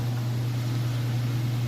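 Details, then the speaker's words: Whirlpool Ultimate Care Super Capacity Plus top-load washer, full heavy load, final spin near full speed: smooth steady low hum, no knocking, thumping or wobble, no weird noises; balanced, normal spin. "It's not off balance or wobbly or anything like that, and there's no weird noises. Those are all things you'd want to check for."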